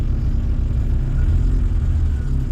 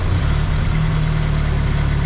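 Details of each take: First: A-registration Vauxhall Nova 1.6 injection that had been running badly, after repair attempts: steady low engine rumble with an even beat, no misfire, stumble or hunting; normal running. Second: A-registration Vauxhall Nova 1.6 injection that ran badly, coolant temperature sensor signal altered with resistance to fake a reading: steady even idle whose low note shifts as the engine reacts to the false temperature.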